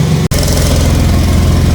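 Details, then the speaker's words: BMW E30 after battery swap, fresh start: deep even idle with faint ticking puff underneath; exhaust manifold leak, one manifold fastener separated and another half-holding. "donc je pense qu'on l'entend mais j'ai une fuite au niveau du collecteur"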